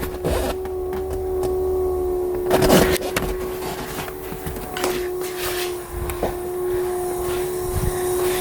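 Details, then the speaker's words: BMW E30 that died randomly while driving, fuel pump run via relay jumper wire: steady mid-pitched electric hum from the pump, which only runs after being smacked; failing electric fuel pump. "you guys hear that I don't know if you guys can hear through the camera but the fuel pump turned on I can hear it so"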